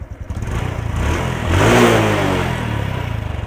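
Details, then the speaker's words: Honda Wave 110i that started hard and stalled on throttle, after replacing the worn spark plug cap. Starts first try and revs cleanly back to an even idle with no stumble. Normal revving. "เดี๋ยวมาทดสอบกันเลยสตาร์ทครั้งเดียวติดเลยเร่งไม่มีสะดุจเครื่องยนต์"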